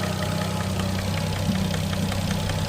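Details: RB25DET Neo, warm idle after a 10 psi run, good oil level: sharp fast even tick louder than ever, seemingly cylinder 4 or 5, calms after 5 minutes; runs fine, no check-engine light, small exhaust manifold gasket leak; suspected lifter.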